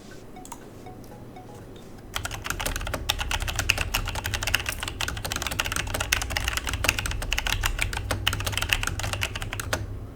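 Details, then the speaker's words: Logitech G Pro mechanical keyboard typing with a faint metallic ring on each keystroke; the switch spring ping is normal for these switches, not a defect. "when I was typing on this keyboard I can actually hear the spring from the switch it was a mouth pinging sound from the switch I thought it was just a bad product but after a quick search this is actually normal for emoji sw"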